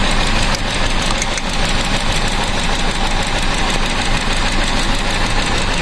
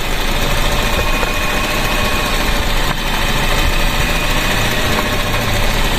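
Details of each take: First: Car after new spark plugs fitted, plug wires swapped from 1-3-4-2 firing order: rough uneven idle with irregular stumbles about one a second, misfire from crossed plug wires. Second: Grab taxi car idling evenly and steadily with no stumbles after the crossed plug wires were put back in the 1-3-4-2 firing order; misfire fixed, running on all cylinders.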